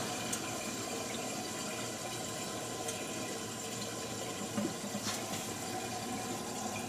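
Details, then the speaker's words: 1950 Buick Roadmaster after running: a steady watery hiss and gurgle like a near-boiling kettle, with no visible flow through the radiator; the owner suspects coolant boiling and the engine running too hot. "okay it sounds like it's a that sounds like boiling to me from the sound of that I couldn't really see any flow through that radiator to speak of so excited I think it's running too hot"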